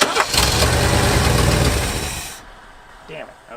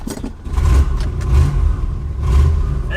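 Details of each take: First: 1970s Lincoln Continental Mark III V8, key and ignition off: keeps chugging roughly, then shudders and dies. Dieseling caused by the carburetor curb idle screw being open too far, letting in extra fuel. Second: 1971 Lincoln Continental Mark III on a test drive after the exhaust was tightened underneath: low, even drone rising with throttle, no rasp or rattle; exhaust much quieter; smells of old gas.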